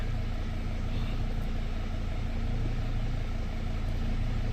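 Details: Dodge/Mercedes Sprinter diesel van after a repair: starts much easier, low even diesel idle with steady beat, no hiccups or hiss; then no check engine lights and good power on test drive.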